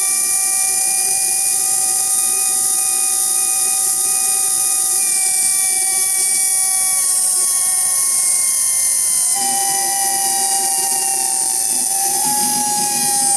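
Loud steady howl of several high tones, each sliding slightly lower as it runs, a siren-like whine typical of worn motor bearings.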